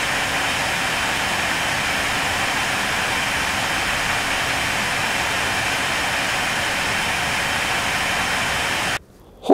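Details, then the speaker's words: AMD R9 290X graphics card, blower fan set to 75 percent: loud, steady rushing whoosh with a faint high whine, constant pitch like a jet; card runs very hot and excessively loud. "it sounds like a jet plane that has escaped from the airport and is trying to crash land into the yard next to you I mean this thing is amazingly loud"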